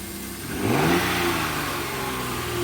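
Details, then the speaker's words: 2008 Kia Sedona V6, started with a jump and moved forward and backward. It revs up cleanly and settles to an even, steady idle with no knocks or misses; sounds pretty good, normal running. "Sounds pretty good. has a V6 engine in it."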